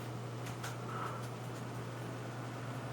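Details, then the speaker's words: Cooler Master Hyper 612S CPU cooler with 120 mm fan: very quiet even whir with ever so slight buzzing; hard drive is louder; fan running normally. "there is an Ever So ever so slight buzzing noise from this but to be perfectly honest with you the thing that I can hear the most is the hard drive"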